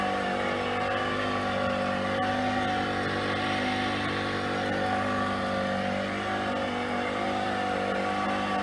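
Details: PRO-FORM Cardio Strong treadmill (PFTL71013.0) before bearing replacement: a steady, loud droning whine with a rough, gritty edge from bad bearings.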